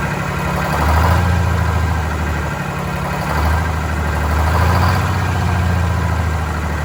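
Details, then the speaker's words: Vintage diesel bus, cold day, after injector cleaner: low rumble swelling and sagging every couple of seconds, stumbling as if fuel-starved; air entering fuel, suspected from a line before the new hoses, unconfirmed. "Where in the hell is that air getting into it? It's got to be a line before that."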